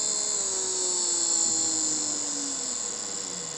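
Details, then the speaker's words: 9 V max DC motor on Arduino Mega 2560 5 V supply via transistor, speed set by potentiometer, no diode; high thin whine steady while lower tone slowly drops as motor eases off, spinning freely, normal running. "you actually can see the motor running so with the Pope meter I now can regulate all the lads the LEDs and the motor"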